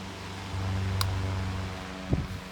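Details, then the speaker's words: Restored 1902 GE five-speed stick pancake desk fan with incorrect, slightly unbalanced blade that makes it vibrate and bang at top speed; low, steady motor hum, even pitch, only a stray click; normal running on a lower speed. "anyway it's five speed it runs pretty well let's fire it up"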